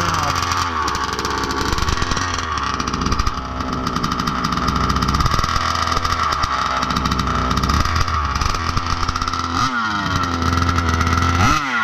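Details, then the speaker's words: Budget billet Baja 5B RC two-stroke, first fire of build, idle brought back down: fast slightly uneven burble, faint wandering pitch; no more blow-by, normal slightly rich idle. "We'll let her idle for 15 minutes. Doesn't look like there's any more blow by. Nice and rich."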